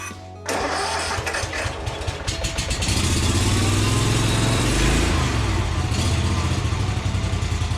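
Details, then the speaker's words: Kawasaki-engined Yazoo Kees ZT Max 42-inch zero-turn mower on full choke with a fuel system that had run dry: long cranking, then catches and settles into a steady, even idle, mechanically sounding good; normal start and idle. "the real test is going to see how well it works from this point mechanically it sounds really good it's idling well"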